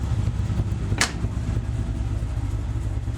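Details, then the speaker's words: LS-swapped Chevy S10 V8 after Remflex header gaskets, a doubled copper collector gasket and retightened header bolts: steady low idle rumble heard from inside the cab, much quieter, with no exhaust-leak ticking. "any exhaust leak really much quieter"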